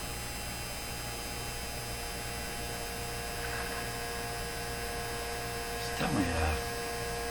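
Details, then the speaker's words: 1957 Chevy Model 561 car radio with vibrator power supply, during alignment with a capacitor clipped on; constant harsh steady-pitch buzz through speaker; owner suspects the clipped-on capacitor; speaker buzz. "buzzing that speaker oh it's probably because i have uh why why why why would that be hmm because i clipped that little uh capacitor on like right there"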